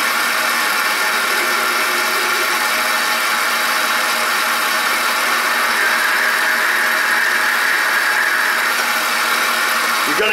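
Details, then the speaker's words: Ford F-150 belt drive running, heard through a screwdriver on each pulley: steady rough growl with faint whine, loudest at the belt tensioner pulley; tensioner pulley bearing growl. "a little bit of bearing noise on each one that's you know you just got to decipher what's normal there's the bad one so it appears to be the belt tensioner pull"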